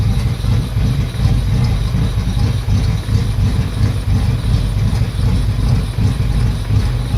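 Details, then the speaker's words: Yamaha F225 outboard: uneven idle with irregular low pulses never settling; hunting rough idle, revved up and died on its own, cause not evident. "It died on its own. Revved up on its own as well."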